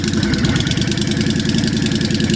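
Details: 1998 Honda Shadow VT1100, abandoned bike, first run with the choke turned down: steady lumpy V-twin idle with an even low beat, a little backfire and pinking but no knocks or rattles. It runs fine.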